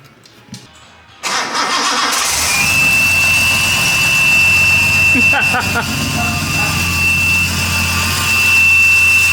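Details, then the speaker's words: 280Z on factory EFI with idle air control port blocked off by plate: engine fires and settles to idle with steady, piercing high whistle unchanged in pitch; suspected missing O-ring in bore, O-ring to be fitted. "this is whistling like hell I was on Church of el series and apparently the uh idle air control Port whistles really bad"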